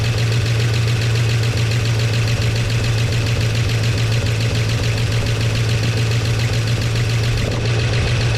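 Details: 1969 Chevy C10 engine idling after timing adjustment, oil pressure restored to 50 psi on an added gauge. Steady low rumble, even beat, no loud tapping or knock; idling fine, flush and oil change still planned.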